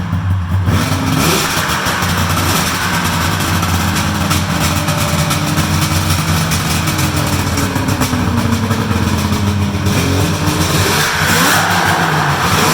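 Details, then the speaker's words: Polaris triple-cylinder two-stroke snowmobile, stock exhaust, cold start: crisp, even firing, blipping up and settling cleanly; sounds healthy. "all right that sounds good that sounds good for a triple I like the sound of that"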